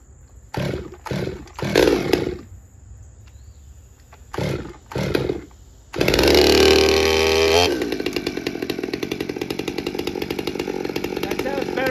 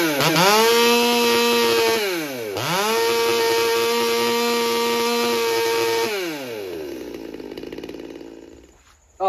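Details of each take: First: Stihl MS200T chainsaw after repairs including crankcase leak testing and plug seal fix, dry-carb cold start on choke: several pull-cord rips, fires, screams briefly at full rev, then drops to an even, steady idle; runs cleanly. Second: Stihl MS200T chainsaw, cold start, carb not cleaned, high and low screws about 1.5 turns out: the two-stroke scream at wide open throttle dips, recovers, then sags and wanders; the carburetor is still suspected and will be pressure tested.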